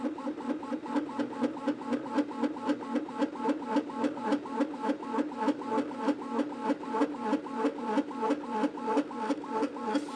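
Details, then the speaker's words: Anycubic Kobra 2 3D printer printing fast: rhythmic stepper buzzing about three pulses a second over a hollow droning ring; the cheap injection-moulded base resonates and amplifies the motion noise. "and this is why I don't like it when companies use cheap injection molded bases for their machines because it just adds a bunch of extra noise there's a bunch of additional resonances and basically you get this sound amplification going on and it makes it kind of loud and obnoxious"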